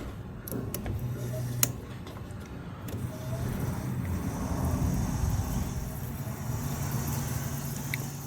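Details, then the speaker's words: 1995 Dodge Stealth revived after sitting for years: with 12 V fed directly to the fuel pump plug, a steady low pump hum runs under clicks and handling noise, fuel flowing through the injector rails; pump works normally. "So let's listen. Yep. Hear that? So fuel pump's fine."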